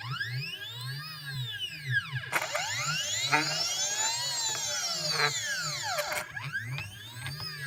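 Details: CNC stepper motors with drivers set to 0.3 Vref, potentiometers at max: whining, singing tones rising and falling as axes speed up and slow, described as a grinding noise.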